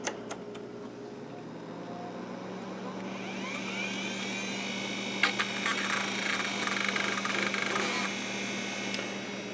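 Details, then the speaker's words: Compaq Deskpro 590 from the scrapyard, restarted after plugging in a PS/2 mouse: drive spins up to a steady even hum, then light seek chatter, no scraping or repeated clicks; doesn't sound bad, normal operation, surface scan planned. "Actually, it doesn't sound bad at all."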